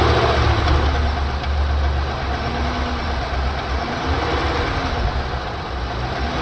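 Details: Chevy SS LS3 V8 at light revs: low steady rumble with a faint quick tick about three per second, apparently from a rear cylinder on one side; owner suspects a lifter issue, plans to pull coils and valve covers.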